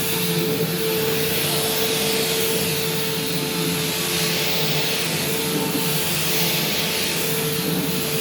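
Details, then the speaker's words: Bissell bypass-motor upright vacuum, restored and cleaned: loud, even air rush with steady mid-pitched motor tone; very loud but not defective, fully working. "so this thing does work and it has cleaned pretty well but it's very loud and it doesn't seem loud in like a defective sense it actually does seem like it's fully working these are just loud machines"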